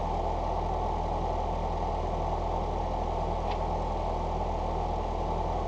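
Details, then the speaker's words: Four-cylinder Foxbody Mustang after injector cleaning/rebuild, new exhaust and an IAC reset: low, even idle holding steady around 750 rpm with no misses or hunting. It previously ran poorly and now runs really good. "as far as Motor problems go I think we're good to go I mean it actually runs really good"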